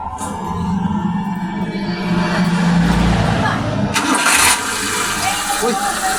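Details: Suzuki F6A 12-valve engine with a hard-start problem, after swapping in a replacement spark plug: engine catches quickly and settles to a steady, even idle with no misses or knocks; healthy.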